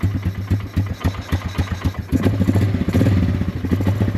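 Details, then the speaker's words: Polaris Scrambler 500 barn find, sat 10 years, running without air filter: slow, lumpy single-cylinder thump at about three to four beats a second, smoking a little; idle set too low, needs adjusting. "just um smokes a little bit. That's something cool. Idle is really low. So, we need to adjust the idle."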